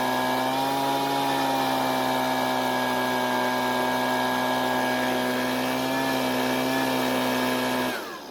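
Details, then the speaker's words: Husqvarna leaf blower after turning the carburetor L (low-speed) screw a quarter turn counterclockwise for more fuel: strong, steady high-pitched two-stroke howl holding an even note; now running properly. "so it looks like the blower is working a lot better and it turns out the car but didn't need too much adjusting to get it back to where it needed to be"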